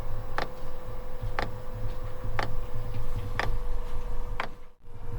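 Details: Newly installed Webasto diesel heater in freezing Québec winter, priming before it starts; sharp, even clicks about once a second over a faint steady hum as the dosing pump ticks and pulls diesel through the line. Fuel pump ticking while priming.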